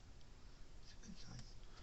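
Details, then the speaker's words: Gallagher M20 Yardmaster fence energizer plugged in on the bench: a sharp pulse click showing normal output, around 5,000–6,000 volts estimated; indicator light not flashing. "it's pretty lightweight unit not much to these things on the inside board the transformer ball it's got maybe a capacitor now you can hear it clicking"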